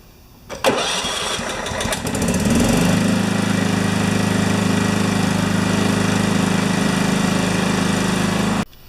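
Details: John Deere STX38 yard tractor after replacing ignition switch, started to check charging current to battery: starter cranks briefly, engine catches cleanly and settles into steady, even idle without misses or knocks; normal start and idle.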